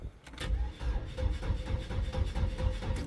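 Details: 2002 Chevrolet S10 2.2 with a severe crank-no-start, low battery, during starting-fluid spray attempts: low uneven chugging of the starter at about two beats a second, never catching.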